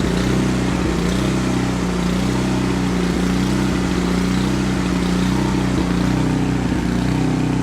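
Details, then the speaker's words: Canadiana snowblower with Briggs & Stratton 800 series engine, after ultrasonic carb cleaning and fresh fuel: runs loud and uneven, surging up and down; engine surging from a lean mixture, confirmed by a lean-looking spark plug. "Alright, so after putting this thing all back together and firing it up, it's running, and that's a good thing, I guess, but it's running very poorly. It surges up and down."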